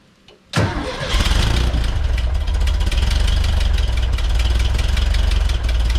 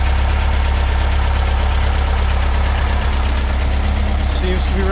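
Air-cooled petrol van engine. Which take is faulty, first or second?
first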